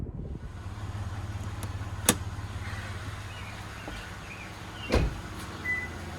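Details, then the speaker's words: 2012 Lexus RX 350, Toyota 2GR-FE V6 with 148K miles, only routine maintenance: low, even idle hum with no knocks or ticks, just a few faint clicks and outside noises, a healthy engine idling smoothly. "as you can see the engine works like a beast there's nothing wrong with it there's a little dust all around it but um hopefully you can hear how good this engine is"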